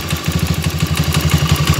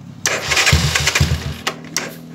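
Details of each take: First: Motoboss 125 single-cylinder, two days after an overhaul, with a noisy head even after valve adjustment. A loud dry clatter of about ten ticks a second runs over the idle, and no oil reaches the head. Suspected cause is oil starvation of the valve train. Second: Motoboss 125 single-cylinder after the oil pump was replaced, which fixed the lack of oil reaching the head after an overhaul. It fires up and takes a few throttle blips, then settles, with oil now reaching the top end and no ticking, so it is healthy.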